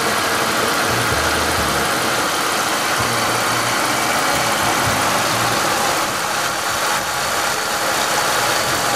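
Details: Cold start of a 1997 Malibu with the 3100 V6 at 75k miles, lower intake manifold done about 8k ago. Rough cold idle with a loose knock of roughly four per second in loud clatter; owner calls it so-called piston slap, unconfirmed.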